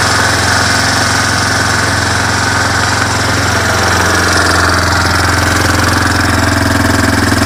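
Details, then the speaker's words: Four-wheeler ATV on its original carburetor, cold-natured engine just started on choke in neutral: steady, even low idle thrum, no stumbles or knocks; sounds good, may stall from short choke. "Sounds good. And that's with the original carburetor, and I got you in that sun."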